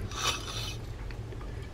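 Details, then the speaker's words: Mitchell 302 Garcia spinning reel turned by hand: rough gritty grinding with scraping bursts, spool not oscillating; stripped gear, possibly a misinstalled or damaged planetary gear. "I'm hearing all kinds of grinding going on in this one Well here here's the issue here notice that the spool is not going up and down"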